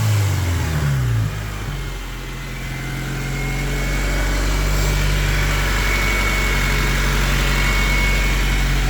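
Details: 1998 Honda Civic DX bought unseen from a police impound auction, with new cap and wires: brief rev settling into a steady, even idle with a low hum, no knocks or misses; normal, healthy idle and revving.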